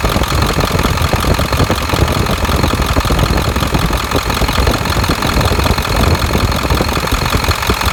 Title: 7.3 Ticking noise